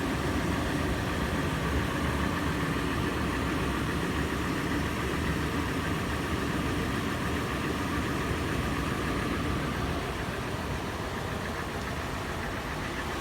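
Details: Toyota FJ at warm-start idle: busy, uneven clatter about three taps per second over steady drone, later becoming slower, sharper knocking; faster in park and neutral, slower under load in drive; marble-like rattle decelerating below 1800 rpm. Cause unknown.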